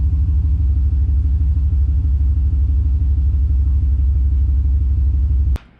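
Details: 2003 Dodge Ram 1500 4.7 V8 after replacing all ignition coil packs with Autosaver coils: steady, even low rumble at settled idle, about three pulses a second, no misses or ticks; normal idle.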